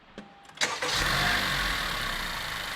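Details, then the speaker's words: Engine start after replacing the A/C compressor bearing: brief crank, quick catch and smooth settling idle, then throttle, with no howl or whine; the howling at start-up and under throttle, present for a year, is gone. "细听，这回发动机着火的声音真是太完美了，相当的好听。踩脚油门，之前的发动机在着火和加油门的时候传出来的嗷嗷嗷的异响声已经彻底解决了。"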